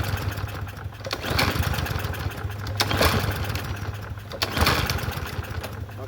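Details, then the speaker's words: Troy-Bilt TB110 push mower (free Marketplace find, seller said it wouldn't run; auto choke): three recoil pulls, each a brief sputter that nearly catches then dies. Hard starting; owner suspects dirty carburetor, not confirmed. "Okay. So, maybe need a carburetor clean, but it was still not pulling over. So, we did have to clean it."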